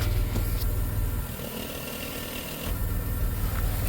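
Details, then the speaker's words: 1991 Dodge Grand Caravan SE, revived after sitting since 2003, with newly installed muffler exhaust kit: low, even rumble dipping and swelling with light throttle blips, no blowing, ticking or rasping; sealed, quiet exhaust, normal idle. "Awesome. You can't even hear it running. It's quiet as can be."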